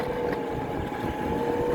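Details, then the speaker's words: Homemade mini electric cart built from kiddie scooters, 200+ lb rider, sharp turn under throttle: inside wheels lift off the ground and the hub motors free-spin, a high scream over the rolling rumble. "The problem is that like the motors goes off the ground, like the wheels, all the, like say, if I'm making a sharp right turn, the right wheels go off the ground and the motors start to free spin. And also you can hear them scream sometimes."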